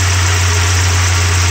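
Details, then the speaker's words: Mazda B2600i with 2.6 L G6 engine running a swapped F2 ECU from a B2200, warmed up, shroud off, blower off: a steady, even low hum with no misses, knocks or ticks; normal warm idle. "Engine warmed up. And so far so good, no any issues."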